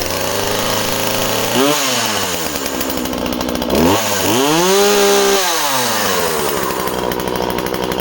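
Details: Husqvarna 136 project chainsaw, two-stroke: starts and runs well, revs up and drops back twice with a crisp high buzz; the owner thinks it sounds a touch lean and may richen the carb slightly.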